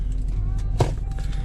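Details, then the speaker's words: 2010 VW EOS 2.0L, hard to start with black smoke and fuel smell, check engine light on: deep, uneven idle that dips and stumbles and won't rev; misfire, leaking injector suspected. "so I have a preliminary thought we're going to we're going to have a leaky injector sorry I I gave it some gas and it just didn't want to go I think we have an injector that's not even it's probably just pouring fuel in there"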